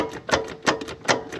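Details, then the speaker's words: Hustler Z zero-turn mower after engine swap and rewiring (fuel shut-off solenoid unplugged after blowing 30 A fuse, safety switches bypassed): sharp repeated clicks about three per second, no cranking; starter engages but doesn't spin, cause unconfirmed. "It at least tries, but the starter's jump."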